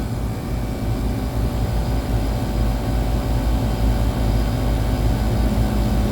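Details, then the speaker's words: Split-system AC compressor on second stage, undercharged (5 of 7 lb 8 oz refrigerant added); steady deep hum with even low throb, no knocks or squeals, running the right direction; normal running. "And there we go. We are running. So let's go ahead and put some gas in it. It's running. Don't hear any problems. It's running in the right direction."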